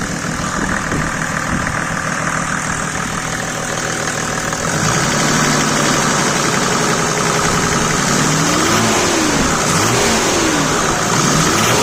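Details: Mercedes W124 OM606 diesel, straight-through exhaust, revved while parked in neutral with heavy smoke: rhythmic knocking puff that quickens with revs, from an exhaust leak at the cracked turbo manifold pipe. The owner had suspected a boost leak or turbo.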